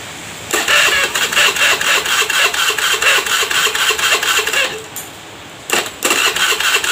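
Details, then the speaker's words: Honda Beat FI, hard to start despite full service and reset: starter whirs in quick pulses about two a second, engine catches briefly then dies. "mau hidup tapi nggak bisa hidup enggak bisa tahan lama ya langsung mati"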